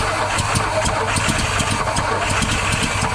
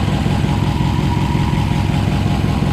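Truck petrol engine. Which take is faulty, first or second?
first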